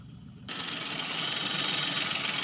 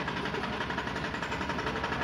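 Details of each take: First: Maruti Suzuki Alto 800 commercial with a bad internal noise suspected to be the connecting rod, blamed on late oil changes. Water is dripping from the silencer and the malfunction light is on. Steady, hiss-heavy idle, no knocking or rattles. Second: Maruti Suzuki Alto 800 commercial with a harsh noise from inside the engine: a steady, rhythmic deep knock tracks engine rotation at idle. Suspected connecting rod; with the oil sump opened, the connecting rod bearings were found cut and worn through, blamed on oil changes not done on time.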